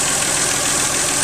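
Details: 1997 Geo Metro, 1.0 L 5-speed, brand-new engine after drivetrain restoration; soft, even hiss or faint whisper of the small engine idling, no knocks, sounding smooth and healthy.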